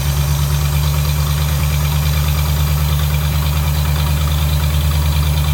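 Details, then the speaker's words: Vintage Ford flathead side-valve V8 first started after 30 years sitting in a barn, fuel being pulsed in: deep, steady low rumble with an even firing beat, no knocks or misses; normal idle. "that's all right it sounds good it sounds really good just giving a that sounds amazing"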